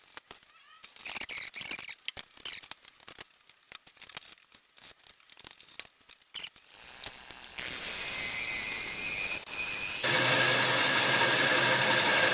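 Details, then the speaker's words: Walnut bowl blank being cored on a lathe with a coring knife about three inches deep before support was repositioned: intermittent cutting bursts turn into a steady high-pitched squeal; coring knife beginning to chatter and vibrate from lack of support. "you might have been able to hear the vibration that was beginning"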